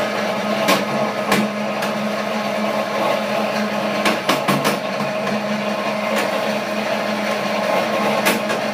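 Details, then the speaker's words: Chinese-made sugar cane press, new model, running: steady motor hum with irregular sharp clicks and knocks from lower drive, not the roller area; no play, bolts tightened; abnormal knocking, cause unclear. "it sound like the noise is coming down in the lower area not up in the area where the the rollers are"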